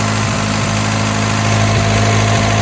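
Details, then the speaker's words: 1984 Toyota Tercel SR5 4WD wagon: idle holds but the low drone wavers and dips every half second. Timing light shows ignition far advanced, with the cam gear off by a couple of teeth. "look at the timing right here it's like super super Advanced"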